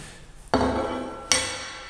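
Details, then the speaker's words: Kearney and Trecker Autometric jig bore cast iron handwheel, fractured joints welded the night before: two sharp taps leave a clear lasting metallic ring, sounding like a solid piece of metal, unlike the flat cracked eggshell sound of a piece only tacked. "here's the one I welded last night it makes a sound and it sounds like a solid piece of metal"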